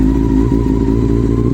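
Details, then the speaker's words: Honda CB400 Super Four motorcycle after fixing a long-running fault: steady, even four-cylinder hum with no stumble or missing beat over a low rumble; confirmed firing cleanly on all four cylinders. "i'm adamant this is our firing and all forwards sounds great but let's just confirm these the most rudimentary process possible [Music] yeah so that is running on all four"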